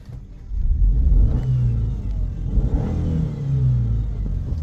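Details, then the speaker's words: Subaru Forester after reassembly (manifold and injectors back on), run about three hours with temperature gauge steady: revs cleanly and settles to an even run, no knocks or misses; fuel pressure sensor still to fix. "Just to prove she's still running."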